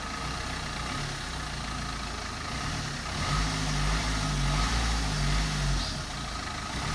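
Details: Steady low idle with an even beat and a slight rise mid-clip but no stumble; the car starts and runs fine after a loose battery cable was fixed.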